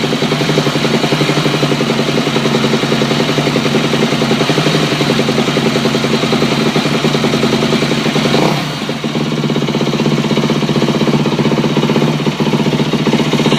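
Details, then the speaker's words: 2008 Yamaha YZ250F at idle: a steady, fast click from the engine's left side over the single-cylinder beat, less noticeable at high rpm; the owner suspects piston slap or the cam chain guide, unconfirmed. "this is the sound right here i don't know if you guys can hear that out well but when it started there's like a click um in the engine sounds like it's coming from like this area all right here um i've looked it up and it could be a piston slap or cam chain guide or something like that"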